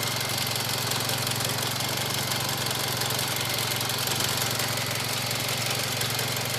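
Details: Mitsubishi Evo X GSR at idle, heard from outside the car, not audible inside: steady idle with light fast ticking, louder than before, and faint turbo hiss; confirmed normal, car ran many miles without issues.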